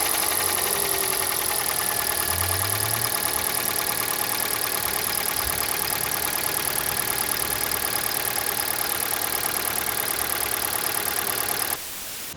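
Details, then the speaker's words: Petrol car idling with a steady, sharp metallic tap of about three beats a second, plus oil consumption, both starting after catalytic converter removal at a workshop. Possible causes include valves, crankshaft or pistons; not confirmed. "это все начало исключительно после удаления катализатора ваше предложение что это стучит оставьте в комментариях вариантов масса могут включать либо клапана либо колено либо сами поршня"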